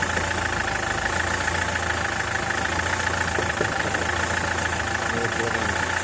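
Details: SsangYong Kyron diesel at idle: a steady hum with a dull, uneven knock below it, roughly every second. Worn dual-mass flywheel with excess play, being replaced.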